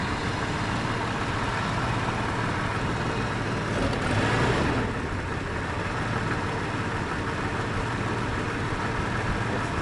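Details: 1996 Jeep Grand Cherokee 4.0L inline-six idling unevenly, with an irregular stumble and brief surge; random misfire not tied to one cylinder, hesitation on throttle; new distributor, coil, plugs and crank sensor; rear O2 sensor missing; cause unknown.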